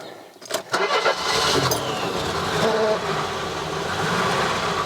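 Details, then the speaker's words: Mercedes W123 230E, first start in about 16 years, in park with handbrake on: brief crank, catches quickly, settles into steady even idle with no knocks or misses; very smooth, good oil pressure. "blimey that is so smooth oh my god"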